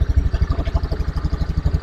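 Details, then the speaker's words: Honda Beat FI scooter with hard-starting complaint, kick-started due to weak battery after engine reassembly, settles into an even, steady putt-putt idle with no knocks or misses; healthy idle. "Nah teman-teman bisa Perhatikan ya Jadi untuk motor ini sudah hidup"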